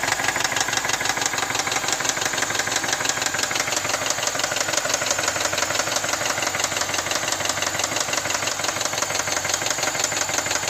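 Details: 2010 BMW X5 4.8i E70, N62B48 V8, 64k miles: quick, even tapping about three knocks a second over a steady V8 idle, cause unknown; engine knocking at idle.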